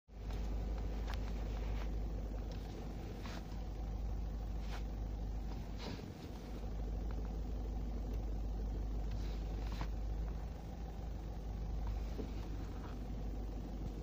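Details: Mitsubishi Colt idle: steady low rumble with loose, uneven churning that disappears when the clutch pedal is pressed; owner suspects the clutch release bearing, unconfirmed.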